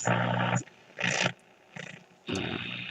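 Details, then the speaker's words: Nordmende Elektra valve radio with loop antenna, after final repairs: bursts of harsh buzzing hash over the quiet band; interference radiated from a nearby router, radio itself fine. "so this radio has a loop antenna so it's not so sensitive to noise that noise is my router as i have discovered"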